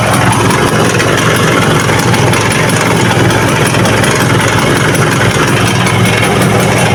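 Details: Vespa two-stroke engine with a loud, fast metallic rattle ("kemelatak") over a busy idle, harsher when throttle is applied; piston slap from excess piston-to-cylinder clearance; head and cylinder block to be dismantled.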